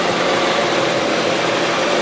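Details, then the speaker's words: 1977 Gravely GMT 900 small engine, warmed up, choke about halfway, carburettor not yet cleaned, old gas still in the tank. Steady drone under power in gear with a slightly uneven, unsettled beat. Running rough under load. "when it got in the power it runs there but she ain't quite running right to be using"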